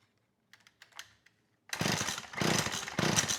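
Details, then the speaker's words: McCulloch Eager Beaver 2.0 CID two-stroke chainsaw with good spark, timing and compression; after priming fuel into the cylinder through the plug hole it catches and runs in ragged bursts, so the fuel system is at fault: fuel starvation. "okay good that told me a lot i know i got spark timing and compression fuel is obviously the issue so that carb does need to be gone through"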